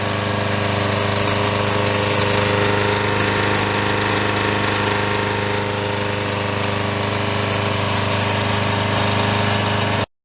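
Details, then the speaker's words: Troy Bilt self-propelled mower, 6.75HP Briggs & Stratton, new blade, after replacing broken intake tube and carburetor throttle linkage: steady even single-cylinder drone at constant speed, no knocks, surging or misses; running normally. "So here we go here. Sounds much better. And Propelled works very nicely."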